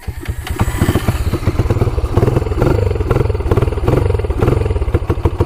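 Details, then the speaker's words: Honda TRX quad (1995 300ex or 1987 250x) after an oil change, run on choke: single-cylinder thumps unevenly, beat stumbling and surging instead of settling; sounds weird, running rough, cause not pinned down. "sounds kind of weird right let's give her the beans"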